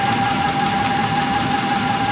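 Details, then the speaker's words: 2004 Ford F150 Lariat engine running rough with excessive vibration and a steady high whine near 800 Hz, source unknown; white exhaust smoke, new spark plugs didn't help; began after truck was left on low fuel. "I'm just gonna stop talking, let you hear this whining noise."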